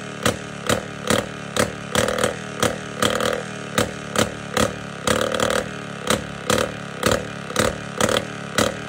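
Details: Jawa 250 type 592 two-stroke, running poorly after a full overhaul. Sharp pops about twice a second with uneven surging between them, a lean engine struggling; air leak, while a leaking carburetor float was also suspected.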